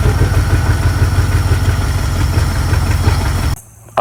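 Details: 1971 Pontiac Ventura Sprint V8, running on fuel poured into carb bowl: deep, steady rumble runs evenly a few seconds, then stops abruptly when the poured fuel runs out.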